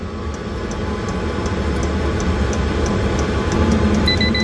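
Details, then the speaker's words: 8 kW 12 V diesel air heater newly installed in a Bayliner 2455 Ciera boat: steady fan roar with light soft ticking about three times a second from the fuel pump's piston; normal diesel heater running. "okay so you can hear that running a little ticking sound is the pump it's got a little piston inside that goes up and down"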